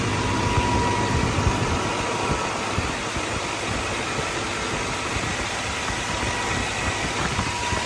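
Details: Combine diesel readied for wheat harvest, running on freshly changed and primed fuel filters: a steady, even idle under outdoor noise, with no knocks or misses. Engine running clean.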